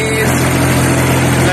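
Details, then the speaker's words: Skid steer diesel hydrolocked with oil after being flipped over, oil cleared from cylinders with injectors out, then started: fires and holds steady, even idle with no knocking or stumbling; normal running, rods apparently not bent. "so we got all the oil out of the cylinders and now we're gonna take a look and see if she will fire off or if we've got bent rods ready oh yeah guys here we go we got a runner guys"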